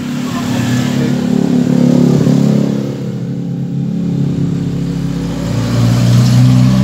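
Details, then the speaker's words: Honda TMX155 single-cylinder motorcycle engine revving: fast, light ticking about four per second over the revs; noisy worn rocker arm and pointed, worn push rod tips cause valve train ticking, to be replaced with original parts. "Ayan guys, ito po yung rocker arm na napakaingay po nito. Papalitan po natin ito ng original."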